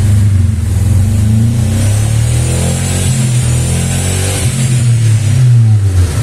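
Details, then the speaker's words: Engine burning oil, suspected worn rings, with oil reaching the spark plugs; refitted with used plugs, it runs again but revs with an uneven stumbling beat that never smooths out; misfire, likely from oil-fouled plugs. "tem carro que anda bastante tempo com óleo subindo na vela tem que ficar trocando né vela nova não compensa colocar tá tem que ser usad ó voltou a funcionar ó ó mas tá falhando alguma coisa ainda"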